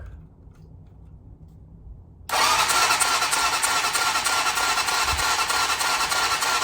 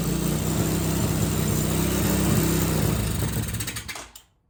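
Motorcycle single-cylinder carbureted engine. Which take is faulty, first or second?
first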